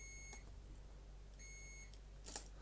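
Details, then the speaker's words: Dyson DC40 Mk1 upright, switches tested with a multimeter: two clear, steady high beeps of about half a second each show continuity, so the brush roll and main switches are good. "and we know the main switch is fine so as i slightly suspected the switches are okay"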